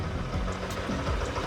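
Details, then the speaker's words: Yamaha NMAX scooter after remap/tuning, idle previously uneven; quick even single-cylinder putter, no hunting or dips, very stable; normal idle. "Tek tek tek tek tek tek tek tek, sangat stabil sekali sekarang, nggak bergejolak."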